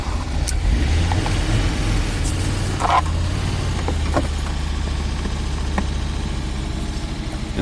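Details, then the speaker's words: Rare abandoned Audi turbo, restarted after reinstalling the fuel line with a Euro bubble flare, cold start: lumpy, uneven idle with a low irregular thump, one cylinder misfiring as suspected; fuel line leaking again. "it's misfiring like I suspected let's Let It stabilize here"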